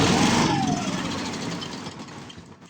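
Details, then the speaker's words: 7 hp Briggs & Stratton single, sat in a shed 15 years and removed from a log splitter because it wouldn't stay running: fires briefly, then its sputtering beat slows and fades out; not pulling fuel well, owner suspects the carburetor needle stuck closed. "Not pulling fuel real good. Pulling fuel real well at all. Pulling a little bit, but not much."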